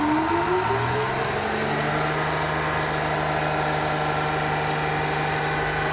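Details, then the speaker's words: GMC New Look diesel bus, first start after sitting a year, building air to release brakes: brief whine then deep steady even idle, a little smoky, no knocks or misses; normal idle. "they're gonna try to get it to move it's a little smoky but it certainly sounds good"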